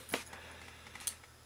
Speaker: that click that ball bearing just fell into one of those holes and because of that this key will still continue to turn